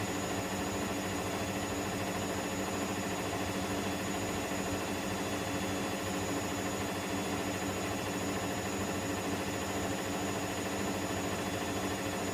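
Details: Electrolux EWF10843 washing machine spinning at 800 rpm with only two pieces of clothing: steady loud roar with a thin high whine held through the spin, cause undetermined.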